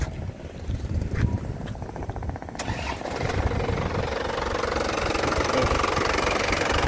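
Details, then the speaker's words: 2017 black LS Turbo diesel, 130,000 km, original factory injection pump: cranks, catches and settles into a steady, even cold idle clatter with no misses or roughness; healthy engine. "Lur mesinnya ya dari suaranya kelihatan Lur mesinnya suaranya masih renyah khas penter dari getarannya juga getarannya masih e senyap ya Mas Bagus tidak tidak oblak tidak pincang ya jadi masih stabil"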